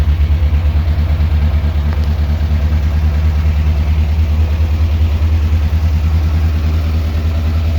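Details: Morris Minor Traveller with idle turned up because it cut out at low idle: uneven, loping idle with roughly three stumbles a second. Cylinder 3 is misfiring; its HT lead was tested and ruled out.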